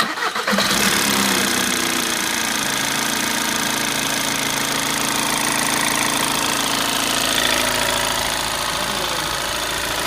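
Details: VW TDI cranking briefly, catching and settling into a hard, clattery run with a busy mechanical rattle; sound of a failing high-pressure fuel pump.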